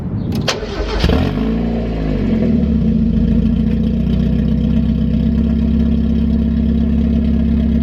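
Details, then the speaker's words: 1991 Mazda Miata 1.6 after fitting cheap used aftermarket headers in place of cracked stock ones, downpipe left disconnected with a gap before the catalytic converter: cranks, catches, then a loud, deep, blatty open idle. Exhaust leak at the downpipe. "the next step for me is going to the welder and extending the pipe let's see how she's gonna sound without 300 gap away from the catalytic converter"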